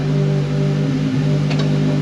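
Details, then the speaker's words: Ford Focus WRC rally car project running smoothly and evenly on all cylinders after four-plus years off the road. Started on a booster pack, it warmed to operating temperature and the cooling fan cut in. Some sensors may still be disconnected amid unfinished wiring. "how good that sound still got obviously because of all the wiring there could be some sensors still disconnected"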